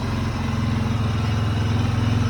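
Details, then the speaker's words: 2004 Honda TRX 400EX quad, very low hours, long-sat but running: steady, even single-cylinder thump at idle with no misses or knocks; normal idle, owner plans some fine tuning. "Honestly, for it to even be idling right now is pretty impressive. Probably gonna do a little fine tuning on him, get him where I want him to be."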